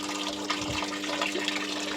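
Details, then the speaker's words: Washing machine after repair, powered on: a steady rush of water pours in with a faint even hum from the inlet valve, filling automatically again and stopping when switched off; normal water fill. "Oke, airnya sudah ee bisa masuk otomatis. Kalau kita matikan dia akan berhenti."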